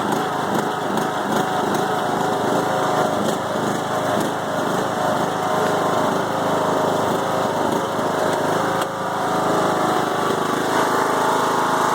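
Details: 5-year-old Craftsman mower with Briggs & Stratton Intek 20HP twin, head gasket replaced after hydrolock; loud uneven idle that lopes and stumbles, bogs while mowing; no longer smokes; rough idle, cause not found.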